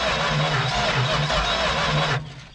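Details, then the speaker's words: Junkyard 1970 Dodge Super Bee big block, not locked up, cranked by jumping the starter wire: even, strong chugging beats, each stroke pushing back evenly. Cranking with good compression. "and even better it sounds like it has compression"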